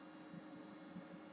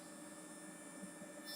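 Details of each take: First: Chinese full-bridge amplifier driven to clip point on both channels with no load connected: steady airy whoosh with a faint constant tone from its small cooling fan; normal fan operation. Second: Chinese full-bridge amplifier, no load connected, with the fan that normally comes on at clip point: quiet, steady airy hiss with faint constant hum tones and no rhythm; runs noisier than it should, cause unknown.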